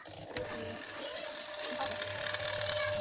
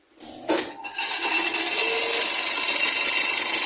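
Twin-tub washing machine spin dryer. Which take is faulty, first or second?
second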